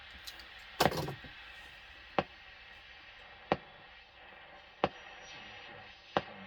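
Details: Grundig Yacht Boy 210 radio after setting the output-transistor standing current and fitting an LED dial light: sharp clicks about every 1.3 seconds over quiet hiss, from a nearby electric fence interfering with reception.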